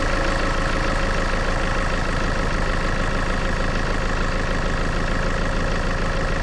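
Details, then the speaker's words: Land Rover Freelander diesel after fuel filter and oil changes: it cranks, fires promptly and settles into a steady, even idle with no knocks or misses. Normal start and idle. "So, let's try doing the cranking. It should fire up pretty much straight away."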